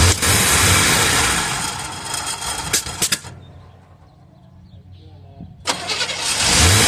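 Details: 1978 Chevrolet Custom Deluxe truck after sitting for years, previously stuck engine: repeated cranking spells with quiet gaps and no clean pickup; water found in carburetor bowl. Extended cranking, hard start.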